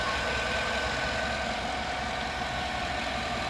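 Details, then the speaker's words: GM 5.3 engine that loses oil pressure about every 3,500 miles, on fresh full synthetic high-mileage oil; steady, even, smooth low idle without ticking or tapping, sounds and runs good. "focus there sounds good runs good everything's good on it"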